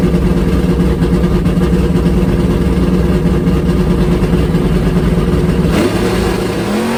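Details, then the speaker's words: Drag car V8 on a swapped-back older carburetor after the other carb surged as if fuel-starved, full-throttle pass at the drag strip: strong, steady pull with smoothly rising revs, no stumble or surge, clean carburetion under full load; normal full-throttle run. "all right that's a lot better"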